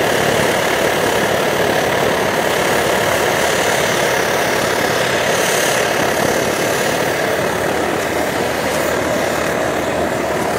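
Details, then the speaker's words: Optimus Hiker+ stove, preheated with alcohol, at full flame: steady hissing roar with a faint uneven sputter, which is normal for these burners. "You can adjust it to a full out roar that'll again heat up boiling a liter of water in about 3.5 minutes, or you can turn it down to a real nice low simmer."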